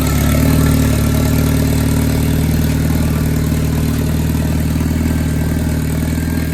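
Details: Boosted Honda B20B4 turbo four after repairs (new ground wire, new oil feed line, fuel fix, wastegate plumbing corrected): steady, even idle with smooth low rumble, no misses or knocks; running healthy.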